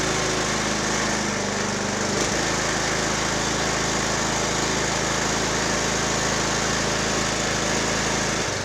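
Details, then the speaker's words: Poulan Pro 185A42LT riding mower, first start with new plug, splash of gas and booster pack, oil burning off: steady drone with thin squeal; mower belt off, owner suspects drive belt; abnormal squeak. "I don't like that noise let's figure out what that is I think we got a belt hung up"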